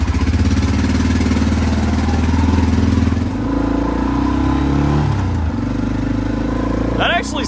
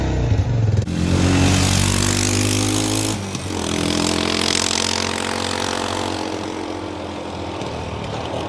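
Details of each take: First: Arctic Cat 400 4x4 ATV with a homemade straight-through glasspack/resonator built from the original muffler: even thumping idle with a throttle blip. Exhaust note is deep and mellow, not obnoxious, with no rasp or leaks; sounds healthy. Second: Arctic Cat 400 4x4 ATV single-cylinder at idle after blips: loud, hollow, echoing exhaust bark, small backfires on throttle lift-off; muffler cut open with baffles drilled out, so it no longer quiets the exhaust.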